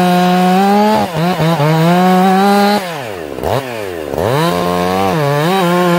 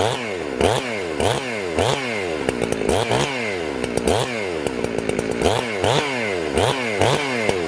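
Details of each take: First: Ported, very loud chainsaw, high jet correctly tuned: screams high and clean, dips under load in the cut, then recovers smoothly with no stumble. It four-strokes slightly off the cut, cleans up under load; properly tuned carburetor. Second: Chainsaw, warm, carb high jet set very rich: repeated rising revs, then a warbling, burbling note under load in the cut; it four-strokes because the high jet is too rich.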